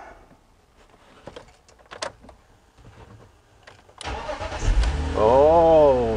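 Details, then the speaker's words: BMW E46 after a DIY automatic-to-manual transmission swap, first start after installation: the starter catches on the first try and the engine settles into a steady, healthy idle. "okay I got that plate in down here so we should be all done let's go start it up oh"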